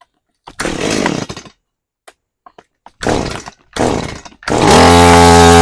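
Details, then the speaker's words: Stihl MS180C chainsaw after carburetor rebuild (was hard to start, bogged and died): a few rope pulls, then it catches and holds a smooth, steady buzz without bogging or stalling; running properly. "But, uh, that's, uh, that sounds pretty good. It revs real good. I don't need to adjust anything. It idle idles well."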